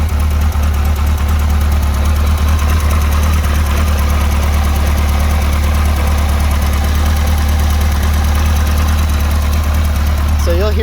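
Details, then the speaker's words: 1991 Kawasaki KZ1000P police motorcycle with the original cam chain and an added CNC tensioner, valves set: it idles low with a light, uneven clatter over the deep exhaust beat from the loose cam chain, which goes away at higher RPM. "hear the cam chain noise at low RPM when it's loose move it up and it's tightened a little bit that goes away"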